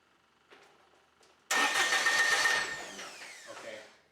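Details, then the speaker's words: Kubota BX25 small diesel tractor, warm, glow plugs used, throttle at idle: a few quiet clicks then about 2.5 s of quick even cranking that never fires; faulty fuel shutoff solenoid; extended crank, no start. "now I'm gonna turn the fuel of the throttle back down and it fires right back up now that I shut it off it won't fire again it'll go through that whole same thing completely off"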